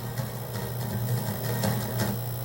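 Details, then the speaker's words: NEC PC Engine Super CD-ROM² console, cold after sitting and slow to read the disc: harsh, buzzy game audio with crackly repeating bursts and a gritty low drone. Distorted sound output; owner suspects failing capacitors needing a recap. "totally distorted cutting out it's not cutting out I think that's prob just cuz that it's starting to load the actual um sort of game playay bit there or something"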